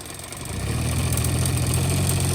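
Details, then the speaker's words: 1985 Honda Spree scooter, carbs cleaned and swapped, straight fuel lines: at full throttle engine drones low and flat without climbing revs, bogging with no power; cause found as carbon-plugged muffler. "that will barely starts going full throttle any ideas what do I go to adjust carbs clean tor completely apart put it all back pretty sure it's clean all the way through full throttle again"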